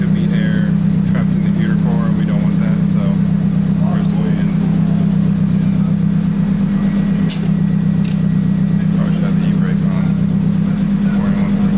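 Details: Nissan 240SX S14 after SR20DET engine swap, first start after fixing unplugged fuel pump connector, warming up and bleeding coolant: steady low even idle hum, no misses, knocks or ticks; normal idle.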